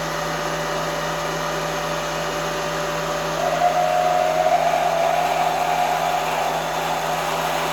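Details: Drilling near a part edge with an unsupported pilot at high RPM, long stick-out, heavy feed: steady high spindle whine, then harsh wavering squeal as the drill bites; drill chatter.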